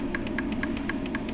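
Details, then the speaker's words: 2016 Honda Accord with no low beams and prior hack wiring: grounding the headlight relay control side gives crisp, even clicks about seven per second over a low hum, headlights flashing; relay works, fault in wiring. "you can hear it clicking and the headlights flash on and off."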